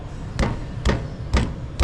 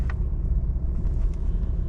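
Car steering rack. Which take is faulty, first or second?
first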